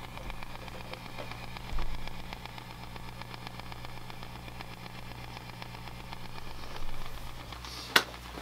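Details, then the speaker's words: Fender '68 Deluxe Reverb amp at idle, tremolo speed 6, intensity 8, room mic: low hum with faint steady ticking; tremolo ticking, present on both original and replacement amp, quieter on the new one. "i'm sure you can hear how they both are are exhibiting that ticking it does seem quieter in this um which is good"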